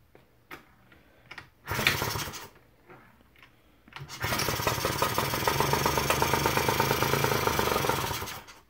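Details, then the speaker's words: Suzuki FA50 moped being kick-started: fast uneven popping and sputter that never settles into idle; engine fires but won't start, owner plans to clean exhaust and intake and fix a sticking throttle. "but you can hear it fire. So without holding the brake and then holding the brake, like it almost wants to fire."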